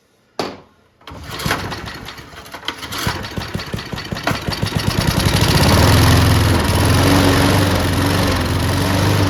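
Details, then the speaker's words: Junkyard Bob-Cat push mower, running on brake cleaner before carburetor cleaning: pulls over, catches with a few uneven pops, then steady even run, no knocking or rattles; motor sounds okay, carburetor still to be cleaned. "Well, if we go through the carburetor, I think it'll run, be able to mow it. It actually doesn't sound bad."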